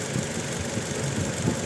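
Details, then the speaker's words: Toyota Innova petrol misfiring at idle and when revved, with no check engine light and no DTCs on the scanner: rough idle with uneven thumps and stumbles. Coil waveform testing shows cylinder two voltage jumping to 0 kV, a faulty ignition coil. "इसमें miss firing हो रही है यह पूरी मैं race कर miss firing हो रही है और चेक इंजन में नहीं आ रही है"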